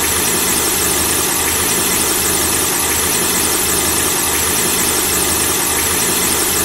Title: The squeaking sound of a car engine when the engine is turned on